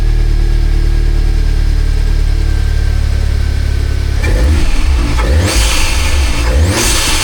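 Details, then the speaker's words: Rebuilt crash-damaged salvage Audi S3 with intake mods, started after rebuild: steady deep idle then several sharp throttle blips that rise and fall cleanly with a crisp intake whoosh over a loud exhaust; sounds healthy. "You know what? That sounded absolutely mega. I didn't expect it to sound that good."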